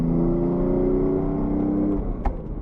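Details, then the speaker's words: BMW F80 M3 driving after the SPEC clutch, which made shifting rough, was swapped for a PTB clutch; engine pulls steadily and revs drop cleanly at the change with only a soft click, no grind or crunch, normal gear shift. "I don't know if you noticed on my clips from before when I had the spec clutch how rough it was for me to get in and out of gear."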